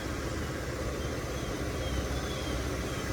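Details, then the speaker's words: 2005 Audi A8 with 6.0 W12 engine at idle: deep, even, smooth hum with no knocks; some exhaust rattle suspected from a failing catalytic converter, with a check engine light on. "And it runs perfect. So smooth. So smooth."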